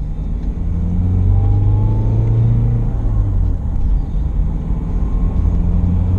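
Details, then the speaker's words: Land Rover Freelander 1 test-driven on the road with the propshaft removed because of groaning propshaft bearings: smooth low road rumble rising with speed, no groan or drone underneath, freer driveline; normal driving, no drivetrain noise. "Drives nice. Much freer driving system. Definitely. Quite impressed with that, I must say."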